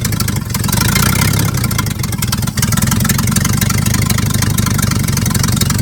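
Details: 1950s Dodge dump truck with inline six, sat 30–40 years, first run after revival: loud raspy idle with rapid even puffing chuff; exhaust leak where the exhaust pipe rusted off at the exhaust manifold.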